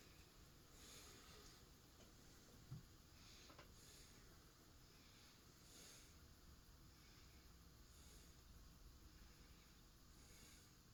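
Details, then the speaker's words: Emerson model 2042 plastic Designer Series 42-inch ceiling fan, moving about 5,000 CFM, spinning down: very quiet coasting with a soft whoosh every couple of seconds and no ticking or grinding; bushing and bearings sound healthy. "Yeah, now spin down. Yeah. Thing runs smooth. No It noise on the does. bushing or the bearings or anything."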